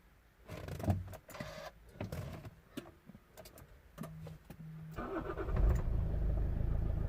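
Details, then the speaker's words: 2007 Toyota RAV4 with keyless entry and start fault, after repair: clicks, short crank, engine fires at once and settles to a steady even idle; starts normally, key-not-detected warning gone. "Running. No longer the key not detected."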